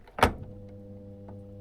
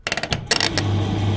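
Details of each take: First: Electrolux/Simpson 39P400 3.5 kg tumble dryer, door catch missing its striker-plate screw, catch held manually: a click then steady low buzzing that never spins up, twice; motor not starting, suspected faulty start capacitor plus faulty door switch. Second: Electrolux/Simpson 39P400 3.5 kg dryer after fitting the missing door striker plate: clicks from the button and door, then the motor catches and settles into a steady low hum; it now starts normally, where before it only ran with the door pushed up.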